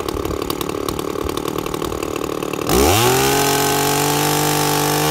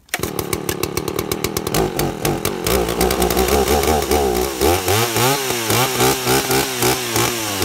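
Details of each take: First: 2-stroke chainsaw with an impulse diaphragm carburettor, tuned by ear with the high jet set slightly rich. It jumps from a rough burbling idle to a steady high scream that holds while cutting wood. Clean, crisp, correctly tuned. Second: Two-stroke chainsaw carburettor tuned by ear at no load, the high-speed jet set a little rich: a hard high scream breaks into an uneven burbling warble as the mixture richens. High-speed mixture adjustment.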